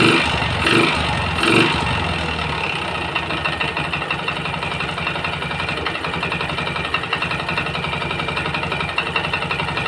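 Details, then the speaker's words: Yamaha Jupiter MX that smokes and clatters after a service: after throttle blips it settles to idle with a light, rapid clatter, no piston-slap roar; piston problem suspected, later found damaged piston block and conrod. "untuk kedengaran suaranya dia hanya kemletek ya namun tidak ada bunyi-bunyi dariang pistonnya hanya bunyi kemelet"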